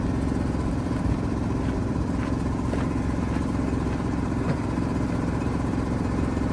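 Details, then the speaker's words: 1973 Mack FR711, 250C diesel: heavy cranking about three beats a second, never catches; injector pump not building pressure, no fuel from cylinders three to six, air still in fuel system, may need tank pressurised to bleed. "So, it's seems like it's not building enough pressure in that pump yet. So, might have to get a bit of air in the tank and bleed to a drive through."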